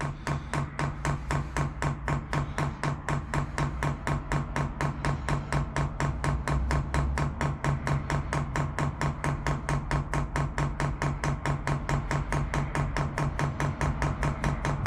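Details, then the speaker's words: Chinese diesel air heater kit from MaXpeedingRods fitted to an overland trailer, fuel pump hung by tie wrap to limit resonance, priming cycle: crisp even ticking over faint low hum, tone changing and getting quieter as diesel comes in; normal priming. "the other tone changing as the diesel comes in see how much quieter that's getting now"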